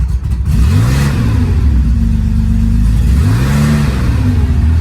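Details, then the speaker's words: 50-year-old air-cooled Porsche 911 flat-six revived after sitting: catches and revs up twice, pitch climbing and falling back to a steady idle between blips; running normally again. "Yes, we have done it. Got a bit of life."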